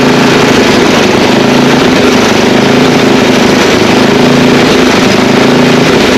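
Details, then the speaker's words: Old Ariens ST824 8 hp snow blower after valve clearance set and carburetor adjusted: loud, steady single-cylinder note at even speed, no misses or knocks; runs and starts halfway decent now; ignition switch may need work. "oh yeah I mean it's old not going to run perfect but it does run it starts halfway decent now"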